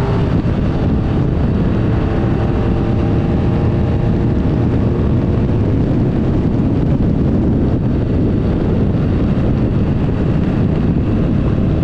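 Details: 1975 Triumph Trident T160 triple on first proper ride after full rebuild, dry but gale-force windy: low, even engine drone under heavy wind roar, no knocks or misses; ran beautifully, though it smokes and exhaust manifolds leak slightly.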